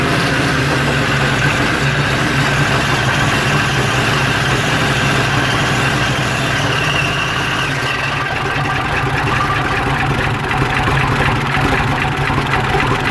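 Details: 1992/93 Jeep Cherokee idling with an uneven, lumpy beat and shaky rhythm under a steady drone; throttle kills the engine; MAP sensor just replaced, throttle body swapped, no engine codes, now runs longer than before; rough idle, cause unknown.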